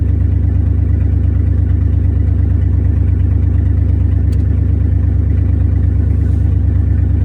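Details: 1994 Chevy C3500 dually with a swapped LQ4 V8, no exhaust yet, fluids bled and moving under its own power. A loud, low drone with a lumpy beat about twice a second that keeps stumbling, a misfire; the owner suspects an injector wiring issue.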